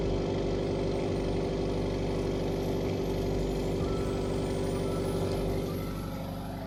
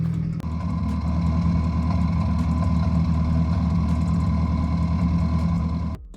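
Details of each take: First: Subaru WRX FA20 2.0L turbo idling after replacing a stuck-open injector and cleaning throttle body and air intake, relearning idle on fuel injector cleaner with light smoke: even, settled low rumble with no misfire or ticking; idling well. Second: Subaru WRX FA20 2.0L turbo at start-up and idle, heard from the back: lumpy uneven idle with irregular stumbles, misfire from a stuck-open fuel injector found wet, diagnosed via Cobb Accessport fuel correction.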